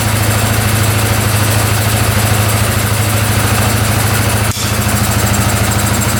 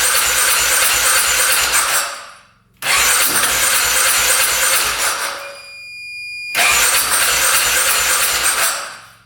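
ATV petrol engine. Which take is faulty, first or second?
second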